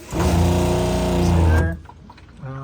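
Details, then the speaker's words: Suncast Water Works 4-compartment concession sink pump after tank refilled and hot water tank filled, good pressure at hot tap. Steady low electric hum runs about 1.5 seconds, cuts out, restarts; pump cycling on and off normally. "I've now filled my hot water tank, I believe, because if I turn the hot on, I got good pressure. You can hear the pump kicking on and off."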